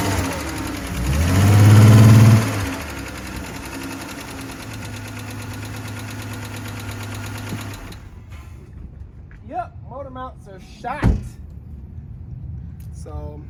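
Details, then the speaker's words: Chrysler 300 engine at idle with a quick blip: fast, regular light ticking over the idle, needs rockers/lifter job. "so this patient is definitely going to need some rockers I like to call them lifter jobs because that's the way the people relate to to this sort of thing"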